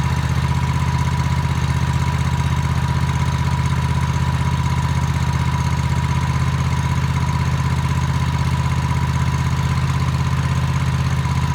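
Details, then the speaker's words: Toro TimeCutter MX 4200 zero-turn mower at even idle, about four beats a second, right after replacing both ignition coils for a running-rough complaint; no surging or hunting, running smoothly. "um so it looks like it did the job um the only way to really test it out is um take it for a test drive"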